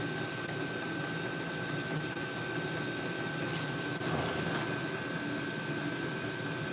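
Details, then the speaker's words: HCALORY 8 kW portable diesel air heater in a garage, turned up to the highest power level: steady fan roar with a thin constant whine, even and unbroken; running normally at full output. "I'mma turn this up so you can hear it okay all the way"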